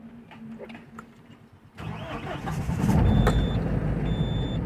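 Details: Tata 1512 BS6 truck that died while driving and would not start, with no cluster lights; battery measured 12.4 V, and the cluster now lights with ignition on: the diesel catches cleanly into a steady, even low rumble with no misfire. It starts normally.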